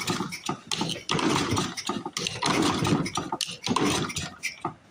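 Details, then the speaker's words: 1930s Briggs & Stratton Model Y engine, about 90 years old, in rough shape; uneven bursts of pulling and puffing with pauses, good compression but never catches; cranks without starting, flooding suspected. "I think they're flooded I think I flooded it oh yep we're flooded let's try to play around a little bit oh you can hear that compression now can't you"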